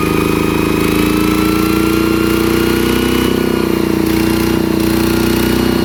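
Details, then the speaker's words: ET110 single-cylinder diesel after rebuild for an abnormal knocking noise, thumping along steadily with an even beat and no knocking or clatter; judged good, normal running. "โอเคนะครับก็ถือว่าใช้ได้ใช้ได้อีกใช้ได้ทุกๆทุกอันใช้ได้อ่ะ"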